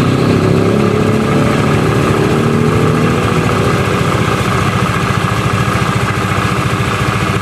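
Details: Honda Vario 110 single-cylinder scooter that stalled after about 100 m, oil empty; after oil and coolant refill, restarted: steady, even putter, no stumbles or dying out; healthy idle.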